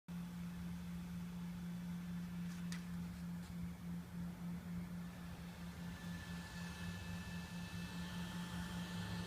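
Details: OPT7 H11 LED low-beam bulb on a 2012 Camry Hybrid XLE, heard from inside at idle or EV mode: loud pulsing "oscillating" hum with faint high whirr whenever lights are on.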